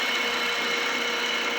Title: 2014 HONDA ACCORD V6/Engine Knocking Sound at Cold Start/Cause and Remedy(Part 5)